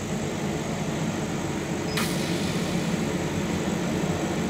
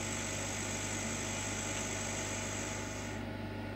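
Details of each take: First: Chinese laser cutter cutting 8 mm acrylic, extraction off: constant hiss of air-assist at full pressure over a low machine hum that builds slightly, steady throughout. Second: Chinese laser cutter with 1.5-inch lens, air assist via pressure control valve: machine hum under an airy hiss that drops away about three seconds in as the air is turned right down to a whisper, just enough to keep fumes off the lens.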